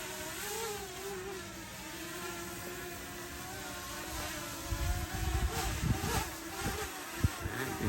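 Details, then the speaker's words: Potensic Atom drone flying low in 10-18 mph gusty wind: light steady motor hum with pitch wavering as props adjust to gusts, wind rumble behind; flight stays stable and normal. "it making the adjustments with the win still seems to be doing okay"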